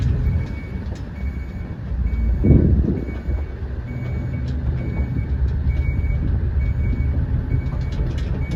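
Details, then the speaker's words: 2000 Ford F550 7.3 Power Stroke diesel, German-made 6-speed manual shifted into reverse: steady high-pitched backup beep about once a second over low diesel rumble; reverse alarm working normally. "So all the way over and up is reverse. You'll hear the beeper."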